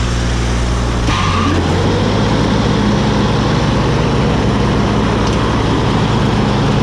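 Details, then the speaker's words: Woods 6215 mower behind a diesel tractor, after repair of bad spindle bearings, a U-joint and the belt: steady low drone with even tractor hum and smooth mower whir, no knocking or grinding. Normal running. "sounds good that [ __ ] cover well that's all we got to show for this episode folks this woods mower is fixed"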